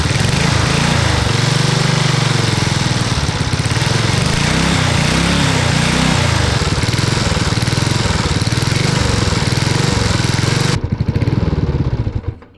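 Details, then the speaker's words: Yard Machines lawn mower with PZ20 carburetor and a new homemade 3/4" conduit exhaust with Briggs & Stratton muffler: steady, even single-cylinder chug holding speed for ten seconds before shutdown; runs well, though the exhaust weld leaks. "oK we've seen that it works it works really well"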